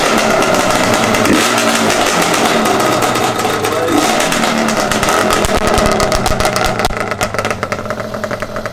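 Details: Yamaha Banshee 350 two-stroke twin after rebuild with new clutch, water pump, gearbox reseal and new head domes; crisp crackle revving up and down freely and dropping back cleanly, healthy.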